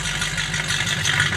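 The engine settles into a steady idle with an even low pulse and a busy top-end clatter, and it holds its rhythm.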